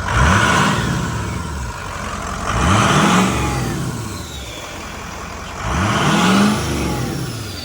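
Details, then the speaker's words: Ford Powerstroke diesel truck (6.0) with newly installed cold air intake, first start: three free revs, each with a rising turbo whistle climbing and falling with engine speed over steady diesel idle; normal healthy turbo spool. "First start with the cold air intake. Ready? Some turbo noise."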